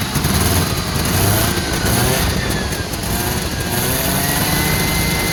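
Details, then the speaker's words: Two-stroke car after fuel system fix, now with a much quieter fuel pump, battery recharged, possibly on choke: lively crackly two-stroke buzz through dual pipes, rising and falling evenly with throttle, no misses; running healthy. "fuel pump is much quieter we got our battery charging because we flattened it trying to start it we might have to choke it I thought and you hear those dual pipes"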